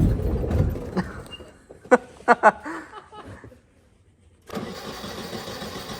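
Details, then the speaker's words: Nissan 240SX that won't stay running: it catches, sputters as soon as throttle is applied with uneven coughs about twice a second, then dies and is cranked again. It stalls on throttle; cause not confirmed. "Is that the car that's not wanting to stay running? She's sputtering as soon as I hit As soon as I hit gas."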